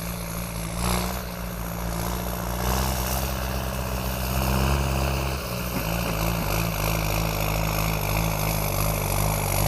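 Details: Kubota M7040 tractor diesel with heavy-duty quiet turbo kit fitted: deep steady rumble, even firing, slight speed change midway, no turbo whistle; healthy engine running.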